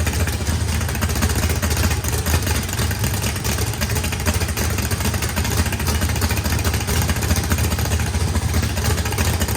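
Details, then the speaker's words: Freshly built turbocharged 409ci small block Chevy V8, higher compression, big cam, first start: deep choppy loping idle with no misfires or knocks, good oil and fuel pressure; oil spewed from turbo drain, normal healthy idle. "It cranked up, runs fine. Look at all, it's milking like crazy. Sounds good. Motor sounds pretty rowdy."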